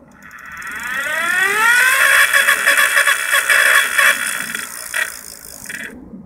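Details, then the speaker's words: Old electric bike with homemade lithium battery pack, rear wheel lifted: hub motor whine climbs steadily in pitch under throttle then holds and fades after the relay clicks on; normal hub motor run. "the motor turns there's obviously some power in this battery now"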